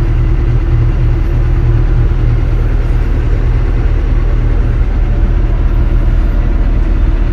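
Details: Kobelco SK200-10 excavator diesel after repair of the Mechatro controller for a battery charging warning: steady deep idle with an even low rumble, no knocks, misses or squeals; healthy, charging error gone.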